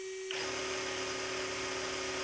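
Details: Cheetah 17.5-turn sensored brushless motor and speed controller in a Yokomo MR-4 TC RC car, full throttle in zero-timing (blinky, no turbo) mode: clean steady high-pitched whine, one even note, no roughness or cogging; running smoothly.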